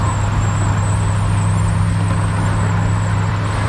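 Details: 2012 Chevrolet Camaro SS (5th gen) at cruising speed with the windows up: a thin, high whistle steadily over the road rumble, from air leaking through the split in the mirror housing. It affects some Camaros from the factory.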